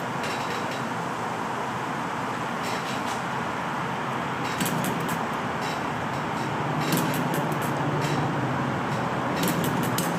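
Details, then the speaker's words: Enjomor model engine with original brown piston O-ring, running after flooded hard start on a humid day, about 1 1/4 turns, filled with water; steady pace with light clicky mechanical chatter, no stumbles; normal running. "Now, filled it with oil, or water rather. And it should run happily like that for a while."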